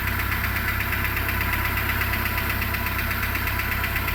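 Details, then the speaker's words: 2008 Renault Logan 1 at cold idle: light fast rustling tick over the engine note, appearing after about 1:25 and audible in the cabin, unclear whether knock or rustle; owner wants a professional check and comparison with other Logans. "Сейчас посмотрим, на какой секунде прекратится это шелестение. Его даже в салоне слышат. То ли стук, то ли шелест, не поймёшь."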